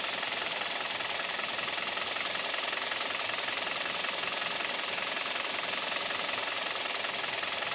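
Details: Kia/Hyundai Theta II G4KD petrol engine at idle, recorded from inside the cabin: fast, fairly even metallic ticking knock about two or three per second; owner reports piston knock and vibration at idle, knock also at 1500 rpm.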